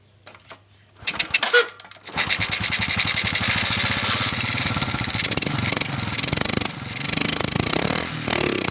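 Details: Kawasaki Kaze with lost ignition, tested with spare parts, CDI suspected, strong spark at coil: two brief cranking bursts, then the single catches and settles into a steady, even, crisp exhaust beat; normal running.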